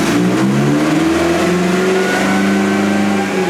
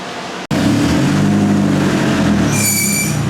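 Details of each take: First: Turbo Sonata on an eBay turbo, on the dyno after new plugs with a smaller gap: engine pulls hard through a long, even rising sweep with no stumbles or misses. Runs smooth and clean but runs out of fuel at 4,000; injectors suspected too small. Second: 359whp turbo Hyundai Sonata with eBay turbo and a new fuel pump, test start: loud catch, then a rough droning roar with a brief high squeal near the end; new, unexplained start-up noise.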